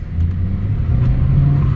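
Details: 2014 Ford Escape turbo, driving under light throttle: deep steady drone pulling cleanly, no hiss, flutter or misfire; sounds healthy here, though a charge pipe leak at the lower hose elbow causing no boost was found.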